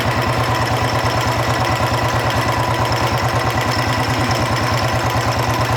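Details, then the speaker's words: Royal Enfield Bullet 350 Electra single-cylinder idle: light regular ticking about three per second, rising and falling with rpm, quieter than before; worn rocker arm still chattering. "जो टक टक टक टक टक आवाज आ रहा है इसमें इंजन के साथ अगर इंजन फास्ट कर रहे है तो फास्ट आवाज आ रहा है स्लो कर रहे तोलो आवाज आ रहा है"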